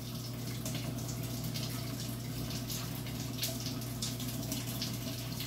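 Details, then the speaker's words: Samsung 19 kg washing machine, cold water only, after repair for not filling: steady rush of water into the drum over a low mains hum; inlet valve filling normally. "you can see how it is filling and it sounds good friends"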